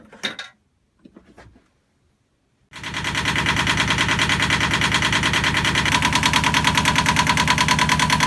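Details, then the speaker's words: Yanmar marine diesel on sailboat Triteia, after bleeding the fuel system with an inline hand primer pump and cracking the injector bolts; brief crank, then steady, even clatter at about three beats a second: normal running. "so got the yanmar blade tonight it sounded good"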